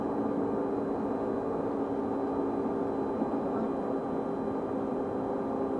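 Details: Stagecoach London North bus SLN 82060 on route N199: steady mid-pitched hum with a faint high whistle holding one constant pitch over a smooth running drone; cause unclear.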